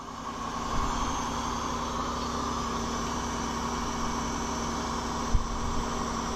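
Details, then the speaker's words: 2002 Chevy Malibu 3.1 V6 with crank-no-start, after replacing crankshaft and camshaft position sensors; quiet, steady idle with even hum, no misses, stumbles or knocks; started right up, problem appears fixed. "Ooh, it started right up. Looks to me we fixed the problem, guys."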